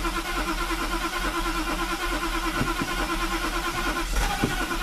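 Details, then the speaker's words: Mercedes with rebuilt fuel distributor (three cylinders previously got no fuel, diaphragm replaced) reinstalled: starter churns, engine catches briefly and dies; won't run because mixture not yet adjusted after rebuild. "I'm sure it's not going to start but it's going to take a while to adjust it"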